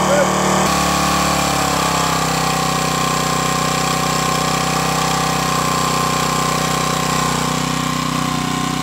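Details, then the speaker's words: Firman 1050 80cc generator, cold weather, after carburetor cleaning and pilot jet enlarged from 0.0145 to 0.016 in to cure idle surging: steady, even drone holding speed at idle and under angle-grinder load, no misfire; runs smooth. "that sounds a bit better now you'll notice that not only did I test the machine under idle but I also tested it under a load using just an angle grinder there plugged in"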